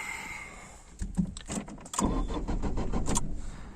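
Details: Peugeot 406, older car: uneven cranking bursts, engine turns over but never starts; fixed by replacing the engine ECU with immobiliser off.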